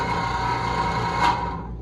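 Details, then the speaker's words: Electro Freeze ice cream machine beater drive motor: a steady, harsh, whiny whirr runs rough then winds down; the motor is dead and needs replacing. "Está muerto. Called the factory. Yeah, it is a $750+ motor. Bad times."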